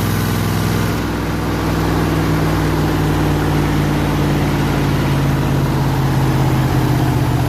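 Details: 302 V8 powering an air compressor, after the troublesome HEI distributor was swapped back to the old points distributor and the carburetor rebuilt: low, steady idle with an even beat, no stumbles or misfires; idles smoothly and sounds healthy.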